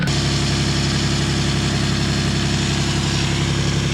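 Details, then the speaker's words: Lexus IS300 with a used 2JZ swapped in to replace a rod-knock engine, first start after install. Steady, even idle hum with a smooth, regular beat and no knocking or ticking. Normal idle; cam sensor code was only an unplugged sensor. "ed the oil the oil is good it's running good it threw a code for a cam sensor but then i realized i just didn't have it plugged in so that's plugged in now but other than that car runs good"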